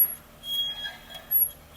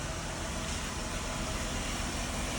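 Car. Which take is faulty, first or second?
first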